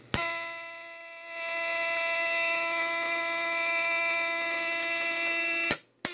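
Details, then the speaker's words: Hallicrafters SX-110 receiver, recapped, with sensitivity turned counterclockwise: crackling worsens, then a steady high-pitched squeal of about four seconds when the switch breaks the circuit. Oscillation; owner suspects an IF transformer. "But if I shut this here, sensitivity, that's counterclockwise. Crackling gets somewhat worse. Now I'll break the circuit with the switch, it'll squeal."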